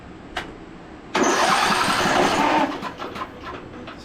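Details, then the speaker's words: Briggs and Stratton engine on a Craftsman DLT3000 riding mower, cranked with the spark plug out and 12 volts confirmed at the starter: after a click, the starter spins freely and evenly with no binding; normal free cranking, not hydrolocked. "no issues as far as cranking and over with the plug out so next step definitely was not hydrolocked cuz if it was this thing would be shooting gas all over the place"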